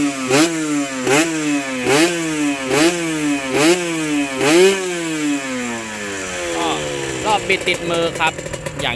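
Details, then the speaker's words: Honda NSR two-stroke motorcycle, square-headlight model, new gaskets, likely freshly rebuilt: crisp throttle blips about once a second, revs climbing and dropping cleanly with no knocks or whine; healthy. "ก็น่าจะฟิตมาใหม่แล้วนะครับไม่มีเสียงดังไม่มีเสียงหอนเลย"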